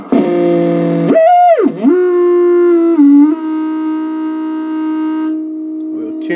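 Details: Original unmodified tube Heathkit VF-1 VFO tone heard on a receiver, before solid-state conversion: whistle swoops then settles, with chirps, clicks and a low growl, 60-cycle hum from the 6 V filament supply.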